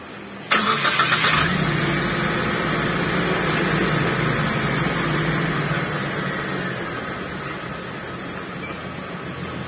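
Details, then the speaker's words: T120SS fuel-injected engine, cold, first start after cleaning a dirty ISC/throttle body that caused unstable, slow-dropping rpm: it catches at once into a steady, slightly raised cold fast idle that eases down smoothly without lingering, with rain hissing in the background. "karena untuk suhu di mobil ini masih dingin ya"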